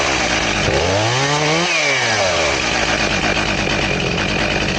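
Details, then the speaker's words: Chainsaw with its chain filed to 10 degrees, cutting a round: it revs up, sweeps down as it bites, then holds a strained, even drone, cutting slowly like a dull chain. "It's almost like it's a dull chain is what it acts like."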